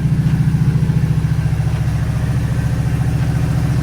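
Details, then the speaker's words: 1986 Oldsmobile 442 Cutlass G-body V8 idling after exhaust leak repair with Flowmaster exhaust; steady even low burble with no ticking or puffing, now much quieter and smoother, a normal idle. "all right now you can hear how quiet it is it's a lot smoother now"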